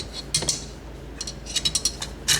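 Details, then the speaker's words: Dishwasher reported screeching and not working: irregular bursts of light plastic clicking and rattling over a faint motor hum; a loose spinning plastic piece at the top of the oscillator slides and chatters, and replacing that piece is expected to fix it. "there, it's loose. And that's what's making that chattering noise."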